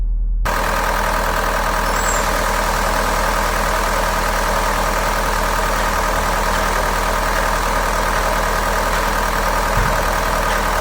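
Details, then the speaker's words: Mahindra automatic diesel idling fast at about 1200 rpm, with an uneven, stumbling clatter and the check light on. A dealer had replaced one bad injector, but the misfire returned three to four days later. Diesel misfire at idle. "की गाड़ी के अंदर काफी ज्यादा missing है metre के अंदर check light भी शो हो रही है"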